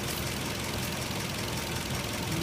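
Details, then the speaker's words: Nissan 240SX idling around 600 rpm: steady spray hiss confirming a vacuum leak at a metal fitting by the intake manifold. "Okay, so I found a vacuum leak. See what car is doing. Rattling about 600. But it's coming from a metal fitting down by the intake manifold."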